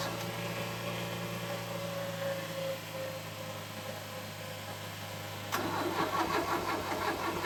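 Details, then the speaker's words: Ford Escort MK3 Cabriolet under restoration, start attempt: even starter cranking about three beats a second, then a louder ragged burst as it tries to fire but doesn't catch; nearly started. "That was bloody close. I thought that was going"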